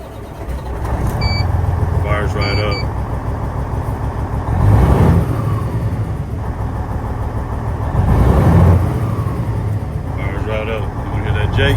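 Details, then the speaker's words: Cummins N14 diesel after replacing a faulty, stuck-open fuel check valve: catches almost at once and settles into a steady, deep, even rumble, where it used to need 10-12 seconds of cranking; hard start fixed. "So, it definitely fixed the problem. It doesn't It used to take like a good 10 12 seconds, man, to start."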